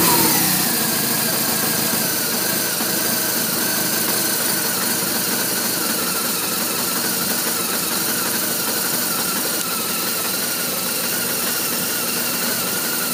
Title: R1200RT Rough Idle part 2